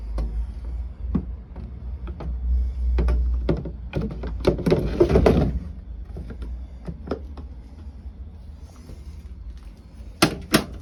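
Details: Beko tumble dryer making uneven thuds and sharp clunks, several a second but irregular, over a low hum; abnormal knocking inside the dryer, cause unknown.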